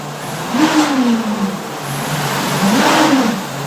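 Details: VW swing axle transmission: two rev swells with a humming tone rising and falling with speed; weird transmission noise, cause unknown.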